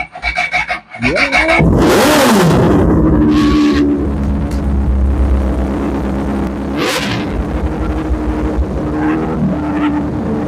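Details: Honda motorcycle that wouldn't start: a few rough cranks with the throttle cracked slightly, then it fires, revs sharply and settles to a smooth, steady idle. It now starts and runs fine; the owner's original ECU is suspected as the real fault.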